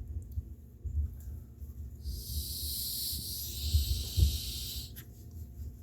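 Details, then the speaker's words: Coleman Peak 1 stove jet orifice after cleaning, blown through by mouth to check flow: soft hiss of air rushing through for about three seconds with low handling noise underneath; passage clear with adequate flow. "not sure if you can hear that but i do have adequate flow through there now"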